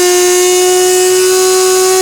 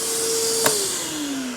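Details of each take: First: 15-year-old Husky 9-gallon shop vac, damaged and making a whining noise for about a month: steady high whine near 370 Hz with bright overtones, sliding down in pitch as the motor spins down. Motor whine, cause unknown. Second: New DeWalt 9-gallon shop vac with "Quiet Technology", advertised 50% quieter: soft, steady mid-pitched whine over a gentle airy hiss, winding down smoothly. Normal running.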